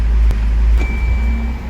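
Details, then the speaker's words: Fiat Freemont after replacing the lower engine mount that caused a clunk shifting between reverse and drive: idling, foot on brake, shifted into reverse, only a faint soft click, no clunk; noise gone. "Ó, já não deu barulho."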